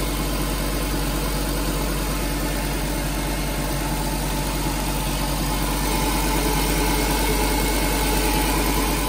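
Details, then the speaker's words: Nissan Grand Livina petrol engine idling smoothly with steady hum and no rough bearing noise after replacing the AC pulley set, whose water-damaged loose bearing had caused the grinding. "Ini setelah kata ganti puli AC, suara mesin normal kembali, tidak ada suara berisik lagi."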